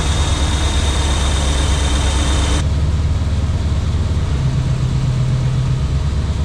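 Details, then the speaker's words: Off-road wrecker tow truck with a new hydraulic pump, after bleeding, engine running and pump engaged: steady low engine drone with smooth pump hum, no whine or chatter; pump works normally. "on oh don't get that it works excellent"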